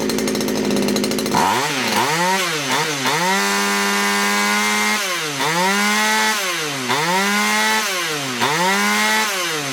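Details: Poulan Wood Shark chainsaw with a no-start problem, after the low jet was leaned out slightly: small two-stroke revs up and sags in repeated surges, hunting and racing at idle; flooding, owner suspects a sticky needle and seat.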